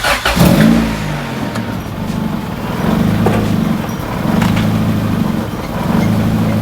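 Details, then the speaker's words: B-swapped EK Honda Civic that stalls at stops, first start after a new throttle body is fitted: the petrol engine catches, flares, then settles into a low, smooth idle that still hunts up and down slightly. "now she appears to be idling very low now she is idling very smoothly honestly but I don't think here it's still kind of going up and down a little bit which I think is another issue"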